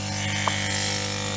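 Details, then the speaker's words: Lukey compressor-type hot-air soldering station after adding soft packing inside the case to stop loud humming: steady low hum with fine even buzz from the pistons, no case rattle; runs smoothly and quietly. "А так примерно так же они и работают. То есть это уже звук не корпуса, а самих вот этих [музыка] поршней."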